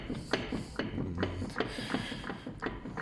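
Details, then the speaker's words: Renault Logan, complaint of suspension knock while driving: repeated hollow knocks about every third of a second from the front while rolling; wheel hub bearing suspected completely failed. "стучит да походу развалился совсем ступичный подшипник"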